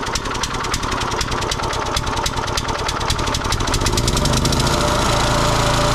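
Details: Kohler SH265/SH255 6.5 hp single-cylinder on a Cub Cadet rototiller, just after carburetor replacement, started with choke on: a rapid, even putter of about three beats a second that smooths as it warms. It runs cleanly.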